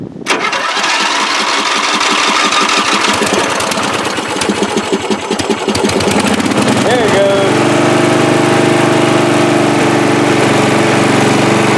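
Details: Free riding mower, engine test after gas tank was drained and fuel added; it was flooding before this start. Cranks and sputters a few seconds, then catches and settles into a steady, even single-cylinder run with no misses: normal running.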